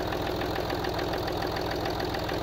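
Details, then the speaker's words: Land Rover Discovery TDV6 diesel after new crankshaft bearing shells, bottom end judged good: a light, even ticking knock at idle, about eight a second, slightly on the driver side. The owner suspects a top-end cam follower. "it's pretty slight but I wanted to catch it before it got really bad"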